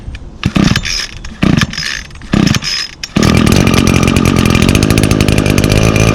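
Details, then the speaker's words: 2019 Echo SRM225 trimmer, two-stroke with i30 recoil starter, choked and primed five times: three or four recoil pulls, then it catches and holds a steady high buzz; starts easily and runs clean. "and now this unit does come equipped with um echo's i30 recoil starter so it requires 30 percent less effort to hold the engine over as i will demonstrate"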